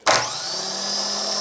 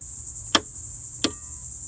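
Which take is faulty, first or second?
second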